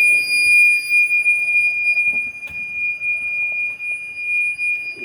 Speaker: you can hear, it's pretty damn annoying. But you never know. It just may save the boat.